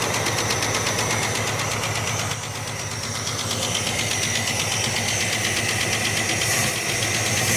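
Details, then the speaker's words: 1967 Barracuda: lumpy, uneven, skipping idle; pulling one plug lead barely changes the note, so that cylinder is dead. The engine sounds really flat and the distributor appears out too far. Dead cylinder misfire. "So, I'm just going to look and see what uh if I can narrow it down to a particular cylinder."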